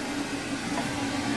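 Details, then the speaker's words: Backup pressure air compressor in a building's water system: an even, unbroken motor drone with a steady mid hum and airy hiss, no knocks or surging. The compressor is running normally. "well there's the air compressor that you just heard running"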